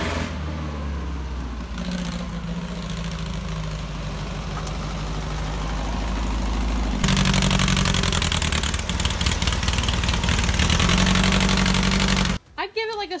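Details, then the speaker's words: 1968 VW Baja Beetle flat-four after carburetor and timing adjustments: steady idle picking up cleanly and revving evenly with crisp response; engine more responsive after timing fix. Normal running. "i'm glad we adjust the timing because the engine is much more responsive and it seems way happier"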